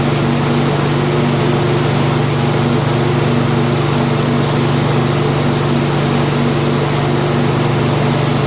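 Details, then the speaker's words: Craftsman DYT4000 tractor, 14hp Briggs opposed twin repower, low idle with electric PTO engaged and blades spinning: even steady constant-pitch drone, no surging or stumbling, battery still charging 12.2-12.25 V with PTO on; twin runs fine. "so as you guys saw uh with the engine idling like this at low idle still charging slowly at 12.45 when the PTO is on it's still constantly charging at 12.2 12.25"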